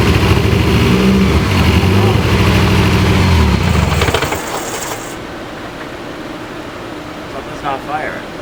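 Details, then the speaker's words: Dodge Caliber running loud with a lumpy, uneven rapping idle before dying off, a cylinder not firing after the coil wires were cut and reconnected, and it now won't start. "It was so much louder and like, I mean, it was sounding like a rapping. Something's not firing. Huh? Something's not firing, like a cylinder."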